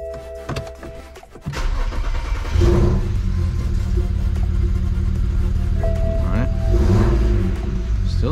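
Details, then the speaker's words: BMW N54 just after installing new injectors and coding them: lumpy, uneven idle with a stumbling beat, misfire on cylinders six and four. Possibly residual fuel; it idled fine after the errors were cleared. "sounds like it has a misfire so let's find out where six and cylinder four there we go"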